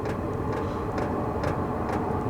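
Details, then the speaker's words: All-in-one diesel camping heater just ignited: steady burner roar with pump ticks about twice a second as pump speed increases, a little heat and smoke at the outlet; normal warm-up running. "and I think I hear it ignited okay A little heat and smoke coming out of here and the pump actually increased a little bit in speed"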